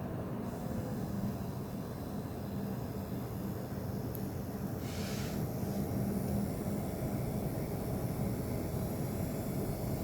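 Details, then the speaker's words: AMD Radeon VII graphics card on an open test bench under load: a steady, very loud rushing fan roar that swells as the test starts. It masks a faint high-frequency whine. "이 소라빵님께서 사전에 팬 소음이 조금 있다라고 저한테 미리 말씀해 주셔서 예상은 하고 있었는데 이 정도일 줄은 몰랐습니다."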